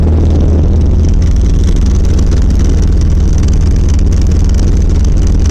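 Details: 1990 Volvo 740 while driving: a heavy low rumble and drumming rattle under the car that has worsened over six months; torque converter first suspected, then found to be the driveshaft centre support and/or bearing.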